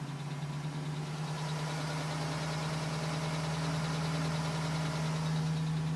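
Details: 2010 GMC Sierra with 2000 miles, cold idle. Light, fairly regular tapping about four times a second over the engine; owner suspects piston slap, unconfirmed. The tapping ceased at 5 minutes 42 seconds as the engine reached temperature.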